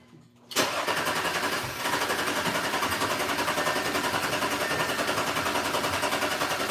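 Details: Audi cranks with a steady beat of three to four pulses a second but never fires, after the fuel rail pressure sensor and mass airflow sensor were replaced; three codes remain and the scanner shows no communication despite voltage readings.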